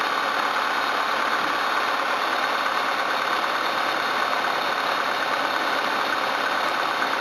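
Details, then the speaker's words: Camry or Hyundai engine after reassembly and coolant top-up, settling at idle; steady even smooth hum with no knocks or misses, running well with no sign of head damage. "settle down oh it's good it's running well and doesn't show any signs of head trauma"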